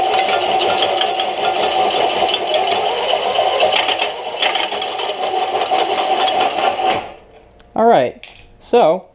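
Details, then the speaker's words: DIY electric bike built on a standard 21-speed Walmart bicycle, running unloaded: a steady motor whir with rough scraping, then winding down with squeaks as the off-centre drive lets the chain jump off its tensioner gear and stick on the wrong side of the washer. "you can see that without uh any weight on it really to prevent it from accelerating too quickly the chain has jumped off of its little tensioner gear and gotten stuck on the wrong side of the washer"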